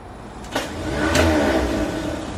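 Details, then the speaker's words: 350 V8 in a Cadillac convertible build: after cranking, a free-spinning starter whir rises and hangs with no compression beat, so the engine isn't turning. Owner suspects the wrong starter; wiring seems good. Starter spins without cranking the engine. "this is the spinner's i mean the starter is spinning guys i hear it uh oh i mean that's a good thing well not a good thing i think maybe the wrong starter"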